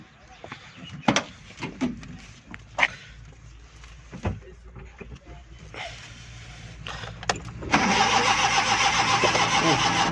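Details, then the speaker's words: Suzuki Ravi (Bolan) Euro petrol/CNG van, morning no-start after starting on gas: strong, even cranking whir that never catches, starter working, gas present; crank no-start. "गाड़ी सलफ सही लगा रही है। Seat open करेंगे, यूरो गाड़ी है। सबसे पहले गाड़ी में गैस चेक करेंगे, गैस इसमें है। तो ये स्टार्ट नहीं हो रही।"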